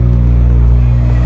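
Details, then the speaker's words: 2015 Subaru WRX, warmed up, idling after fuel pump and filter replacement for fuel pump relay issue: deep steady hum, even low pulse, no knocks or surging; normal smooth idle. "As you guys can hear, the car is all warmed up and good to go."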